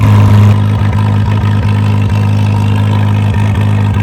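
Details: Farmall M tractor at idle after fuel bowl refilled: low idle with irregular dropouts, a few skipped firings each second; misfire and smoke, points gap unchecked, cause suspected but not confirmed.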